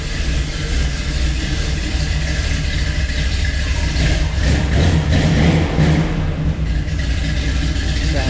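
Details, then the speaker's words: V8 with intake resealed and mufflers fitted to the exhaust: deep, even burble with a steady low rumble and no knocks or misses; a healthy, proper-sounding idle. "definitely sounds proper now sounds like it looks now so super happy with that"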